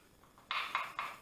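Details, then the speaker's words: Porter Cable PCC 660 20V cordless circular saw, blade and arbor pushed back and forth by hand: three crisp clacks from arbor play in the motor. Reviewer suspects a bearing press-fit problem or poor arbor bearing quality. "That's the arbor moving back and forth in the motor. So they got a bearing problem."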